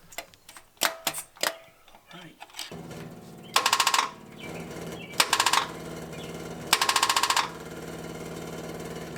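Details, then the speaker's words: 1980 Dodge short-bed truck with big-block V8, start attempt using power probe: short fast starter whirring and clatter bursts of about half a second, engine not turning over; starter won't engage, owner suspects bad or shorted starter. "but for some reason the starter just won't engage i mean it's not hard to make these things work but i don't know i really can't figure it out"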